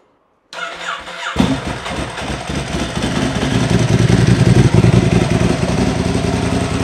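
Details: Ducati Hypermotard 1100 S after four-year rebuild, oil just topped up: starter whirs, V-twin catches and settles into lumpy even idle with usual dry-clutch rattle; no leaks seen; sounds healthy.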